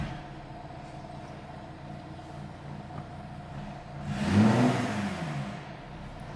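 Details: 3.0 TDI S tronic Audi A5 with upgraded turbo, just refitted with new genuine clutch pack and LUK flywheel: smooth, even idle with no knocking, then a clean rev blip settling straight back; normal idle.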